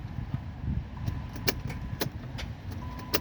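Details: 2014 200s 3.6 no-crank: a few sharp single clicks at the key with no cranking while the lights stay bright; starter failing to engage, owner taps the starter with a hammer.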